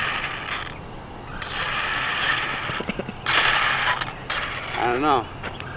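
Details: Arrma Typhon 3S RC car at a skate park: irregular plastic clicking and ratcheting as the motor spins up. The rear differential's plastic gears are stripped and skipping under load; all other gears are metal.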